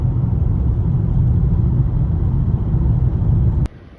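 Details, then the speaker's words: Normal quiet steering column in a 2016 Toyota Camry after replacing the electric power steering damper; only even low road rumble over rough surface, no rattle or clunk, steering wheel feels stronger. "it's nice and quiet it's very quiet in here now no more Ratt Ling no more no more of this annoying noises"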